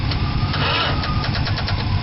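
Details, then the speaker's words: 1971 Dodge Coronet being revived, starter wired to the solenoid: quick, even starter pulse of about five a second, laboured, never catching. Slow cranking; they suspect not enough battery power and plan a battery swap. "i don't think you've got enough power but it sounds better yeah it does so it needs a battery better"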